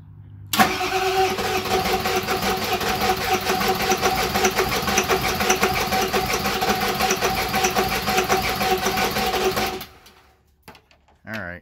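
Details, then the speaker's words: 7.3 Powerstroke (Navistar T444E) diesel, stored almost 2 years, repeated start attempt: steady rhythmic cranking for about nine seconds, never running, making smoke, almost fired; starter left to cool. "it's making smoke we're getting close it almost fired there we were real close"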